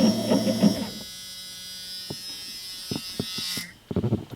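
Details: Ford with new Holley EFI system and new fuel lines, key on for first priming: steady low electric hum for a few seconds with no whine or rattle, Ford buzzer also heard; normal fuel pump priming.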